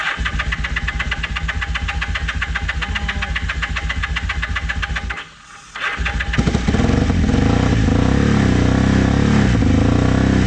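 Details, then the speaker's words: Vintage motorcycle from a trailer batch, started with starting fluid on old fuel. Choppy pulsing sags almost to a stall and only keeps going on throttle blips, so it won't idle. Owner suspects jammed idle jets and says the carbs need cleaning. "uh needs carb clean because the idle jets are uh it won't idle and they're probably just all jammed up"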